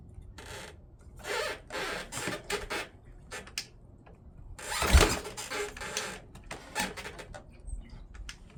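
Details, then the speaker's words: Rebuilt 1979 Honda XR500 single-cylinder four-stroke, cold, choke on, first start after the rebuild: several kickstart strokes, then one sharp pop as it coughs back: a small backfire. "Let's see. Whoa. Is that a backfire?"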